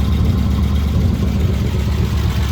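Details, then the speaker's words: Propane-fuelled Unimog idling, strong propane smell: low, lumpy exhaust beat with uneven thumps, an audible misfire heard at the exhaust, cause not yet found. "It strongly smells of propane, but it sounds good. It sounds like you can hear a misfire out the exhaust."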